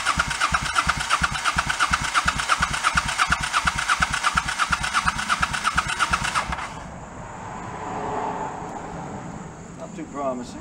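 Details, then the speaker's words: 1984 Honda Shadow VT700C, first start attempt after 7 years and a full rebuild, choke on: starter cranks steadily at about three pulses a second for six seconds, never catches; fuel delivery suspect; crank no start. "back to the drawing board okay first attempt didn't start"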